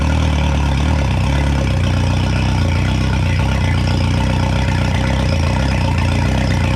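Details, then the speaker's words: 2011 Yamaha T50 outboard after fuel line, bulb and high-pressure fuel pump replaced, fuel cleaner added: steady low idle rumble with faint unevenness; owner expected smoother running, hopes it cleans up. "I thought it would run smoother though."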